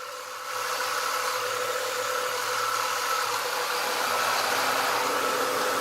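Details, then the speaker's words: 1996 Ford Mustang after replacing the AC compressor, which had a bad pulley, idling with defrost on: steady even whir as the new compressor engages, no grinding or squeal; the compressor is running healthy. "you can see now it's kicking in sounds good"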